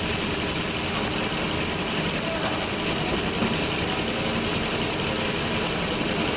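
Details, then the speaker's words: Toyota Hilux running, clutch pedal released: fast high cricket-like chirp, louder when hot, disappears when pedal pressed; dry clutch release bearing. "tapi teman-teman ini dia bunyinya kayak ada bunyi jangkrik sudah tetapi pada saat pelat ke pedal kopling kita injak maka bunyinya akan menghilang seperti ini"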